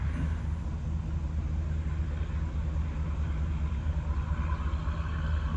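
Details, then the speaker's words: Cheap used truck started to warm up and work out air bubbles, before clearing codes. Steady low rumble at idle with an even beat and no knocks or squeals; normal idle. "Fire the truck up, letting it warm up."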